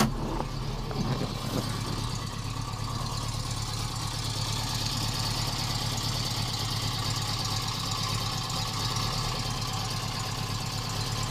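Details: 1973 Subaru GL1400 coupe with original 63,000 miles: steady low idle with a soft, even light thump at engine speed, which the owners say has been present for years.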